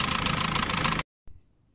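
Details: Diesel engine run for a few seconds without coolant on fuel fed from the lift pump: even, steady clatter about a second, then cuts off sharply; brief run sounds healthy with no knock.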